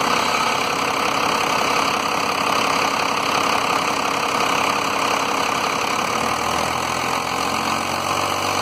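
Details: 1993 Dodge Cummins diesel truck with rough idle, low power and fuel pressure shown; engine keeps stumbling and cutting out periodically at idle. Owner suspects the lift pump, not confirmed.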